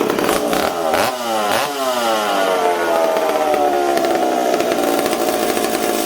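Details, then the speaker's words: McCulloch Super Pro 70 chainsaw on bench, suspected intake air leak; revs swing up and down unevenly and won't settle, idle hunting; owner suspects the decompression valve is leaking and plans to replace it. "you guys hear how it's kind of all over the place i almost wonder if this peacock's leaking"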